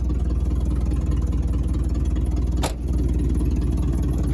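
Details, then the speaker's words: 1979 Chevy C30 V8 at idle, first run after eight years parked: lumpy idle with sharp, even puffing tick in time with firing; owner reports exhaust leaks galore and power steering not working. "steering appears not to work at all and there are exhaust leaks galore"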